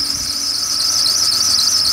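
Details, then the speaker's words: BMW 728i E38; loud steady high-pitched squeal at one pitch over faint engine, put down by several shops as likely the drive belt, with belt, tensioner and idler pulley due for replacement. "Also, ihr hört das bestimmt schon, der quietscht. Und woran liegt das? Ich war bei 3-4 Werkstätten gewesen und auch bei BMW. Und die haben mir gesagt, dass es wohl am Keilriemen"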